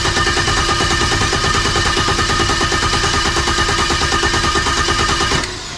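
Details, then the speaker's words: BMW E90 N54 single turbo with port injection, first start after HPFP install, four power cycles to build low fuel pressure: steady starter churning about three beats a second over five seconds without catching; slow to start. "Didn't start as much as I would have liked."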